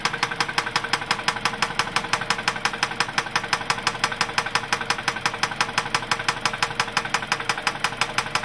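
Sharp, even ticking at roughly three per second rides over the idle the whole time: a steady engine knock, source not yet pinned down.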